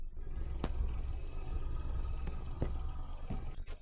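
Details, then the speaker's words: 2015 Nissan Note after ignition coil replacement with a backup coil (previously rough idle, sluggish acceleration, stored code): recorded at tailpipe, low, soft, even exhaust pulse with no skips or shudder, no longer missing, vibration gone; normal idle. "So, I don't know if you can hear it, but it's no longer missing."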